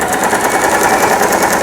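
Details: Lion Mising JS1004 sewing machine, about 20 years old and heavily used, after repair of a loosened upper shaft worm in the gearbox; quick, even clatter of about eight stitches a second, no knocks or catches; normal sewing.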